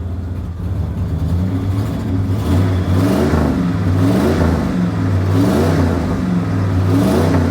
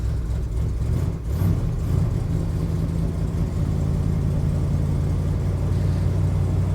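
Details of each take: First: Ford Econoline van, fuel-injected 302 V8, cold start, cat-back single glass pack with dual tailpipes: three smooth blips that settle to a steady, deep-burbling idle; healthy rev. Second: 1977 Ford F250 Camper Special with 460 big-block V8 on a winter cold start: steady deep rumble with a fast rough chuff under it; previously fixed exhaust manifold leak has returned on the passenger side.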